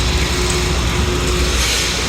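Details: Rebuilt Kelly Duplex 3-ton horizontal paddle mixer with a 1/4-inch steel bowl, run for over an hour with components cool to the touch: even, steady low churning with a faint constant tone, no knocks or grinding; running healthy.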